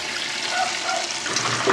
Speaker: This goes into a stand pipe to drain. So, you'll probably hear the gurgly gurgly.